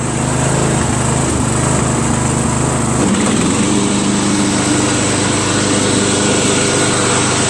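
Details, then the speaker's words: Craftsman LT1000 lawn tractor with a new drive belt, greased spindles and sharpened blades: the engine runs at steady high speed and the mower deck engages with an even whir, no squeal or knocking. "So here's the moment of truth. I guess I'm going to start it up and see if I can ruin some mower deck belts."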